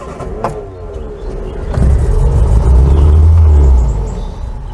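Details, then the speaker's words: Barn-find Austin Allegro, carburetted four-cylinder, off the road for years and just prepared for MOT, cold start before a nearly 100-mile drive home: lumpy, uneven low beat around four pulses a second. It runs rougher than ever before. "I couldn't help but feel as this little car rumbled into life that I had made something of a miscalculation. The car had never run that rough before when I first started it up."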